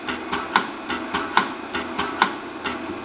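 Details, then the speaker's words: 8-inch floppy drive from an HP 9895, connected to a PC through an adapter and formatted as 1.2 MB: light seek ticks with a sharp knock about every 0.8 s as the head overruns and bumps the end stop. "and I don't like that it just bumps the head right now you can hear it bumping in those sectors there"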